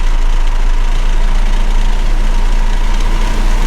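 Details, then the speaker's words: MK5 Toyota Supra, windows down at 54–60 mph, before fitting Armaspeed Windblock side mirrors: heavy throbbing low boom filling the cabin with no mechanical ticking, felt as reverberation; wind buffeting, worst at 54 mph and normal in the 40s. "At 60, you still hear it. 54 is the worst."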